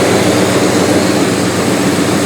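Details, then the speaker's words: 1998 Jeep Grand Cherokee Laredo after fuel tank replacement, first run on its own fuel: loud, steady engine drone with no clatter or stumble, no big smoke; oil pressure good, charging; runs cleanly. "so it's running under its own power on its own fuel well that's a serious bonus i don't hear the motor clattering that's also a bonus"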